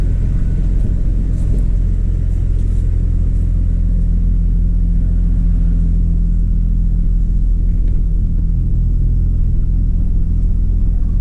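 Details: 2003 Chevy Trailblazer LTZ 4x4 4.2 I6, warming up cold after new valve cover and intake gaskets, plugs and coils for a P0305 misfire: smooth, steady low rumble held slightly above normal idle, no shake or skipping. Normal.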